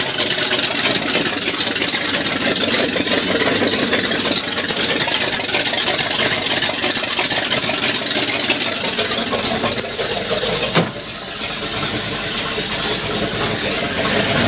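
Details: 1979 Ford with 460 V8, straight downpipe with no muffler, after the exhaust leak was repaired: loud raw open-pipe rumble settling into a steady, even idle with no misses or knocks; normal idle.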